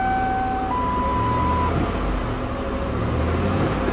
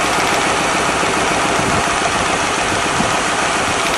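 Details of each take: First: 1997 Lincoln Continental V8 at idle after repairing a burnt spark plug wire on a misfiring cylinder; even steady rumble, no more puffy sound, which returns when the wire is unhooked. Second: 1997 Lincoln Continental V8 idling with one cylinder misfiring: loud, uneven pulsing miss, about three to four beats a second; coil pack suspected but ruled out, cylinder two next for plug and compression checks.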